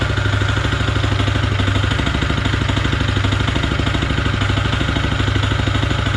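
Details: Honda GX160 engine on an M80H power trowel at idle with a steady, hard, deep metallic knock on every turn between crankshaft and connecting rod: rod knock, and the machine is not serviceable.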